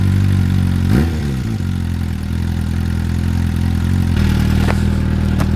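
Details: Suzuki motorcycle, cold after winter storage, old fuel, partial choke: steady idle with a slightly fast, even beat and one brief blip; normal cold running.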